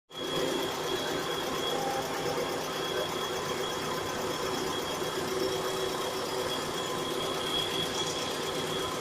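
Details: Mitsubishi Carisma 1998 GDI petrol engine idling after a timing belt and A/C belt change. A steady, fairly quick light ticking or knocking of about three to four taps a second appears whenever the engine is started.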